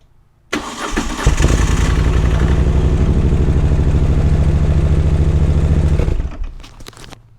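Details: Moto Guzzi with a starter interruption problem, just after fitting a Starter Interruptus relay kit: a brief starter whirr, then the twin catches cleanly and settles into a steady, even idle before shut-off; a healthy start.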